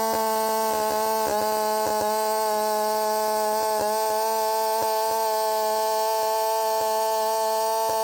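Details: Redmax 5000 chainsaw with wide-open exhaust port muffler mod, 16-inch bar, sharpened steel RS chain, 8-pin sprocket, full throttle in cut after self-tune: hard steady high-pitched scream holding pitch without bogging; pulls clean and feels much faster.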